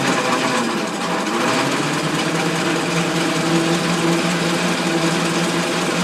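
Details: Ford Model T at its first start after sitting 40+ years, with the two-speed transmission tested in high gear: the four-cylinder settles back to a steady, light, even idle after a rev with a busy mechanical patter. No knocks or misses.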